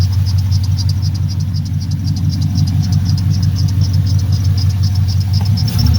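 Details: 1979 Pontiac Firebird, LS-swapped V8, after fixing a misfire from spark plug wires touching the header by swapping plug-side boots from spare parts; steady even low idle burble, no stumbles, faint high chirp, no arcing seen.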